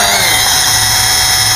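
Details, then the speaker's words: Eachine E520S quadcopter spinning up with a loud, steady high-pitched screech over the motor buzz from one or more motors. The quad fails to take off or hold altitude. "as you can see it's just you hear the squeal the screeching noise just couldn't cut it and this is the problem that this quadcopter has"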